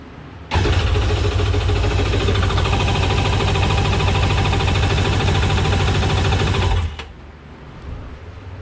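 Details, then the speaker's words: 2001 Sea-Doo GTX jet ski, about 21 years old, after fuel pump work: six seconds of even cranking near 200 beats a minute that never catches, with no fuel pump hum; pump not running, wiring later hotwired. "I didn't hear the fuel pump, did you? No fuel pump."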